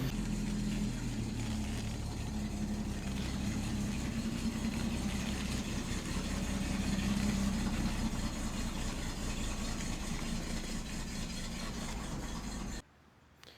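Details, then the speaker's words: 1967 Ford Mustang, 200 cu in inline six, idling smoothly and evenly, running nice and cool, with no knock, tick or stumble: normal idle. "No, okay, anyway, so we got her running again. Seems to be running nice and cool the way we like it."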